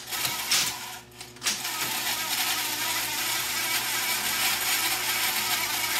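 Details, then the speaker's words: 37-year-old Sony SL-8600 top-loading Betamax VCR playing a tape after idler pulley work; steady shrill squealing hiss once tape moves, a very noisy bearing, either the main motor or a pulley, likely a dry idler pulley bearing. "That noise is getting to me. We have a very noisy bearing in there somewhere. Either the either the main motor or one of the pulleys is uh is squeaking."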